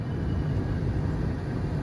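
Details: GM G-body car HVAC blower motor after cleaning its connector terminals, switched to high speed via the high-speed relay; steady, even low rush of air with no wobble, scrape or squeal; normal blower operation on high speed.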